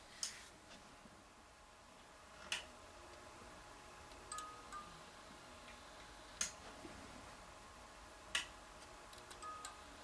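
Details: Philips 2xF30T12 fixture converted from instant start to preheat with glow starters: light, sharp ticks about every two seconds over a faint hum as the starter cycles; a normal preheat fluorescent start.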